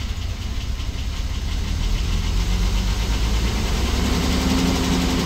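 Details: 1997 Ford Explorer XLT with a no-start fuel delivery problem, after fuel pump and filter replacement and priming: engine builds into a steady, low, even rumbling idle; starts and runs cleanly after repair.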